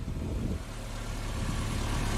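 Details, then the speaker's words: Engine after an oil change from the wrong oil: smooth steady idle, previous ticking gone, just an even low hum; the wrong oil was the cause. "guys there's no ticking anymore it's so much quieter oh my gosh that is so cool"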